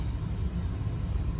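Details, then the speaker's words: 1992–1996 Buick Roadmaster wagon, new blower motor just installed: steady low fan hum, even with no rubbing, scraping or wobble; gasket seated so fan doesn't hit anything, working fine. "so you might be able to hear it it's working just fine seems like the gasket is seated enough so that it's not uh hitting anything which is nice"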